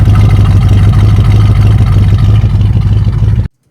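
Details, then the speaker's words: 1965 Chevy Nova wagon with a new Holley 450 carburetor, air cleaner off: quick, clean free revs without bogging, strong enough to make the belt squeal, which it couldn't before. "squealing bad, but that's a good problem because before you couldn't rev it fast enough to make the belt squeal. Sounds good."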